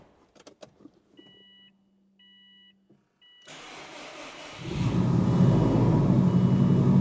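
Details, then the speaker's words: Freshly rebuilt engine, first start after priming, AC refitted; chimes, then it catches at once into a steady, even idle with no sputter or misfire; normal start and idle. "Sounds healthy, dude. Look at that. So now we got our first start on this thing. That was smooth."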